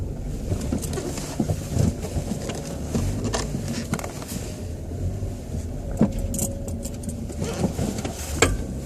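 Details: 2006 Chevrolet Cobalt coupe, 99,000 km; irregular sharp clicks and clanks over low idle rumble when turning the steering wheel, especially when parking, backing out or in first gear. Cause: binding steering intermediate shaft, replaced by dealer.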